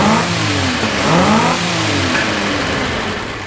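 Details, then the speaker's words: 1976 Capri Ghia, carbureted, running after carb fuel leaks were fixed; getting warm, vacuum systems not working, tune uncertain. Engine revs up cleanly and settles back without stumbling or popping; runs fairly smoothly, fuel delivery healthy. "so fuel system's great she seems to run fairly well but i can't i'm not sure if it's spot on yet"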